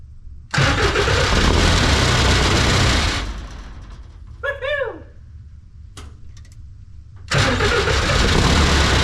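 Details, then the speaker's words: Fairly used turbo diesel in a snowcat build, first start after fitting the missing fuel pump fuse. Catches quickly into a firm, even clatter, shut off, then restarts cleanly; smokes a little, with loose cab panels rattling. Healthy running engine. "oh wow that is surreal that really fired up without much problem uh I mean I can't ask for better than that runs pretty good smoke a little bit it is a fairly used motor so that's okay"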